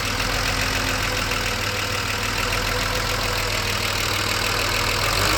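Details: BMW 635CSi E24 investigated for rough idle via the ICV, warm at about 80% operating temperature after refitting the air hose to the throttle body: a steady, even idle with a constant hiss and no stumble or dip, a normal warm idle.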